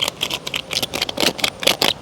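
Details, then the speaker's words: Wood-Mizer LT40 Super Hydraulic sawmill head bearing, removed and spun by hand: uneven gritty ticking about four or five a second. The bearing still turns but is rough; worn bearing to be replaced. "you can hear it still turns but it was rough"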